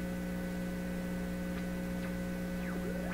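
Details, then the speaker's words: PYE 39HC shortwave broadcast receiver under test, signal generator feeding the input: loud steady low mains hum with higher buzz and faint sweeping whistles in the output. There is no AVC response; cause not yet identified. "but I got to give it a stronger signal than that listen that hump's just roaring"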